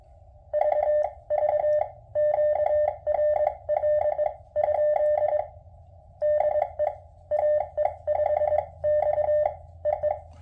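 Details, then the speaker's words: QMX transceiver, firmware 1.00.017, CW: keyed tone bursts with dull thump at key-down and key-up; thumping worse on low bands, obvious on 80 m, negligible on 20 m, same at 2–6 W and with headphones. "the thumping is worse on the low bands and not so much on the high bands and that's what I've noticed here it's pretty much negligible on 20 M but it's very very obvious on 80"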